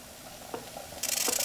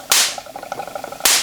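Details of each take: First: Homebuilt Wimshurst electrostatic machine: harsh, pulsing hiss replaces quiet whir of spinning discs; polarity has swapped, which can happen after long sitting, metal touching a disc, or high humidity; reversed polarity charging. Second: Homebuilt Wimshurst electrostatic machine, one electrode ball thought slightly oversized: three sharp, crisp snaps about a second apart over faint whirring of turning discs; clean, strong sparks jumping the gap, normal spark discharge.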